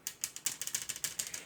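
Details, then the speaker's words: Consul inverter 7000 BTU split air conditioner, newly installed indoor unit: rapid light plastic ticking about eight times a second, like raindrops, kept owner awake; owner found a loose panel screw and unsecured part, cause unconfirmed. Rattling noise. "e parecia que tava dando uns pingos aqui de chuva aí eu acordava abre a janela abrir a janela não tava chovendo era aqui ó"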